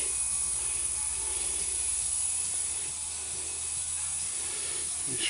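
A steady, high, airy hiss runs unbroken over a quiet room; air is escaping through a puncture in the tire.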